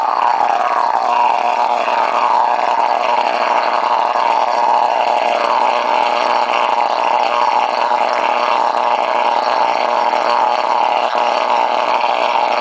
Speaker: after letting this run a little bit uh longer um you know like in excess of a minute minute and a half it starts uh making this other harmonic kind of a sound that's uh like it's an echo kind of a sound aside from the plasma sparking up sound